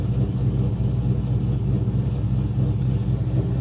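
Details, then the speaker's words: Pontiac GTO after throttle body adjuster screw was opened: smooth, steady rumble at fast idle around 1000 rpm, balanced with no check engine light, but idle set a little high. "my check engine light's not on it's a little high revving for a th000 just drop down a little"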